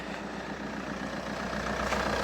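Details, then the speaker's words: Saab 9-5 NG A20DTH diesel (also Opel Insignia) after fixing no-boost fault where turbo VNT vanes were stuck open: listening at exhaust, quiet, even idle with no turbo roar, far quieter than before; running normally. "let's listen to the exhaust yeah that's way quieter because earlier since the VNT WS was open it was super loud"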